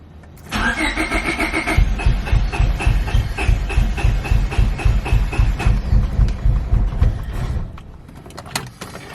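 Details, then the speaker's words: Honda Civic with B20 engine, first start after welding the block's oil-tap hole, fitting a sandwich plate, new oil, filter and sump gasket, battery recently flat: starter cranks evenly about four beats a second, never fires; suspected no fuel at injectors. "once the run i think the injectors just need some fuel with everything that was out let's try it again i'd have to check but it sounds like there's no fuel so let's see"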